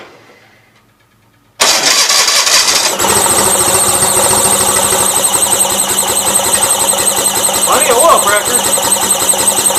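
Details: Gravely 450 with Onan CCKA twin, oil gauge temporarily plumbed in, about 35-40 psi oil pressure: once fired, a thin constant high squeal sits over the idle and doesn't fade; source unknown, owner plans an oil filter change.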